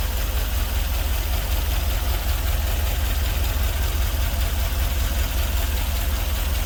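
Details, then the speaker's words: LS V8-swapped GMC Vandura van just after first start, before tuning: idle has an uneven low pulse, about two and a half lumps a second; a couple of injectors weren't firing, and new injectors were ordered to replace the rough-running originals. "I ordered some new injectors because those injectors are the original ones, and it was running a little bit rough."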